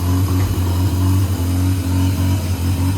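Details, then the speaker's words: Mazda FC RX-7 rotary after restoration, belts just replaced and coolant system bled: low even burble, steady tone, no knocking or squeal; settling into a smooth normal run. "It sounds like it actually wants to run."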